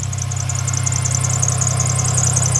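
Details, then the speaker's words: 2007 Dodge Nitro at idle: a high, shrill chirping squeal pulsing quickly and evenly over the engine from a worn idler pulley/belt tensioner, which is to be replaced with a new one. "that is a belt tensioner that we have to change out right down there and we got a brand new one that we're going to replace it with"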